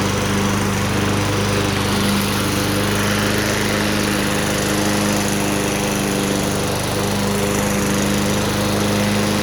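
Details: Vintage, believed late-1980s, Toro GTS 5hp 3-speed self-propelled mower (model 20622), apparently Suzuki engine, found in shed, with blade clutch: steady, even single-cylinder drone, no misses, knocks or surging; running healthy.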